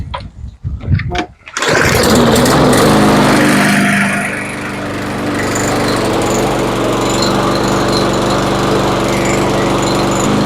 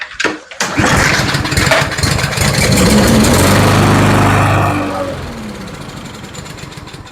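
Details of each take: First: Troy-Bilt TB230B XP push mower with Briggs and Stratton E-Series engine and plastic carburetor that would not run, after carburetor cleaning starts in a couple of pulls and runs steadily with no misses. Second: Troy-Bilt TB230B XP push mower, Briggs and Stratton E-Series engine with plastic carburetor, no-start: after fuel sprayed into the intake, a pull gives a brief ragged run that dies within about four seconds; spark present, carburetor needs cleaning.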